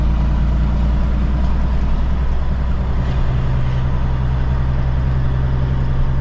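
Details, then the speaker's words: Cabover diesel truck driving at night with new alternator belts: steady, even rumble with no chirp or squeal, the belts sounding quiet and healthy, though the driver says they squealed a little when he revved it while sitting. "Maybe they might be a little bit, but They don't sound bad."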